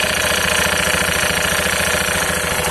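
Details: Honda Beat FI eSP scooter idling: rough rapid clattering knock from the CVT, crackling at idle and a louder knocking, snoring sound with more throttle, plus a heavy, shaky pull-off; worn front pulley roller housing and rollers.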